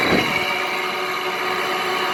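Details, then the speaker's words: Frigidaire window air conditioner running: steady hissing hum with a fine buzzy rattle from the noisy Toshiba compressor, likely something loose; rattle. "Still really noisy. Maybe you can actually get a chance to hear the noisy Toshiba compressor. There's a rattle to it."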